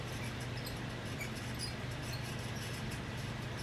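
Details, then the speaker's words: Leading Edge 4820-1 48-inch commercial ceiling fan, circa mid-1990s, at full speed: a steady low hum with irregular high chirps. Its dry, worn bearings are not rated for the motor's heat, which degrades the grease. "it's just the same that the barriers are this total crap on these fans stiff leading edge would have put a better quality bearing in this fan"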